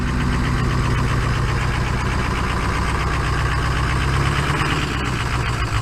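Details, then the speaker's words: Rust-free California Ford 6.0 Power Stroke diesel pickup that barely runs, idling a little smoky: rough uneven lumpy stumbling idle with irregular knocks, obviously down a cylinder, a weak cylinder; misfire at idle. "this it's obviously down a cylinder"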